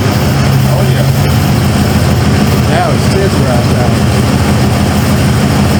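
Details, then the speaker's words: 1995 Ford F-150 V8 barn find, after sitting many years: it restarts after a jump from a dead battery, stumbles briefly, then holds a deep, even, steady idle with no miss and responds smoothly to throttle. "now she SM had that little stumble at first smooth throttle"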